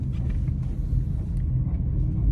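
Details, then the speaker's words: 2012 Chevy Equinox braking at about 5 mph: low rough growl and metal-to-metal contact from front brake pads worn to metal. "so i drive like five mile per hour and step on the brake and you hear the growling noise and metal to metal contact"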